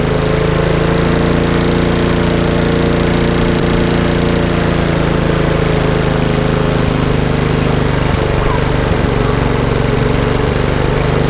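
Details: Lawnmower, possibly a Champion, with RV 150 engine and Briggs air box, running after the throttle cable/microswitch was sorted: small single-cylinder engine holds a smooth, even low drone with no misses or surging; running normally.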